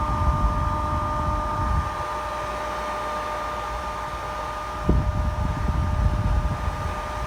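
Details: Pellet stove Ptech closed-frame exhaust blower after repair: the loose case, which caused rattling, was re-crimped firmly to the motor frame; it now runs with an even motor hum and steady whine, no rattle.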